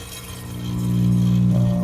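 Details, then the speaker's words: Philco stereophonic record player, amplifier switched on before restoration: a loud, steady low hum swells up and holds, unaffected by the volume control, from amplifier filter capacitors needing a recap; idler wheel grinds and the platter doesn't spin. "then in kicks the loud hum. So you got a couple problems here. Let me turn the volume down on this thing. And if you notice, the volume doesn't affect the level of the hum."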